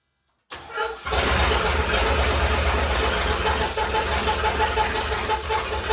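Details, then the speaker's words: Willys Jeep CJ5 with swapped Chevy 4.3L V6 and hydraulic roller cam, first start after the swap, timing only roughly set without a timing light: cranks, catches, loud slightly uneven idle; rough running after first start. "all right well it worked it runs that's pretty exciting I played with the timing just a little bit there to try to make it run a little better"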